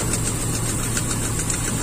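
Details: Toyota Kijang Super, carburetted, cylinder 4 plug found wet: uneven, stumbling idle with a low shaky hum and faint ticks, speed sagging; rough idle, suspected valve or intake air leak.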